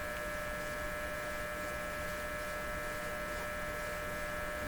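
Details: Dominion Electrohome TR50 console receiver, dead on AM and FM, on AM with volume up and tuning: steady low hum with fixed buzzy tone, no station received; cause unknown.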